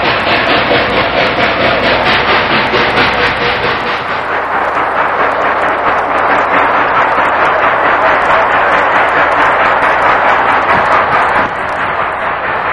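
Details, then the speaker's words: Norfolk and Western No. 611 steam locomotive, 1992, climbing a steep grade with excursion train: sharp, regular exhaust chuffs about two per second over the roar, working hard but beating evenly; normal exhaust beat under heavy load. "Again, you can hear that exhaust out of the engine. Tell us how hard she's working."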